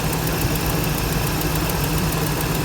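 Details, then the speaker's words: Chevrolet Tahoe/Denali 6.0 V8 at idle: steady idle with faint quick ticking over it from a small exhaust leak, described as nothing major. "Now they're gonna fire it up. There's 6.0. Got a little exhaust leak."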